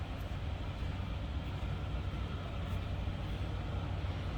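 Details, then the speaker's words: 1941 Cadillac Series 62 convertible sedan, 346 L-head V8, manual transmission, positive ground, oil and antifreeze recently changed: low, soft, even idle with no knocks, ticks or misses. Smooth, very quiet, normal idle. "Wow, this runs smooth. Door closes nicely."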